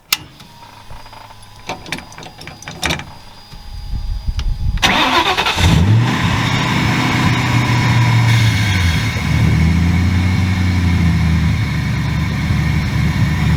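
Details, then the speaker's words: Ford V8 with 4V swap, after alternator check and ECU board cleaning: key clicks, cranks, catches, settles to steady idle, then a few clean throttle blips; runs healthy. "so what i'm gonna do now is put the key in it start it up let it idle and then rev it a few times for you guys"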